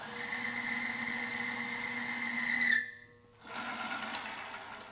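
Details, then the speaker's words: Timken bearing friction test on a synthetic power steering fluid with 5% additive: a steady, high squeal holds under load for several seconds, then stops when the load comes off, as the lubricant fails to protect the bearing. "Well, as you can see, it wasn't doing that well."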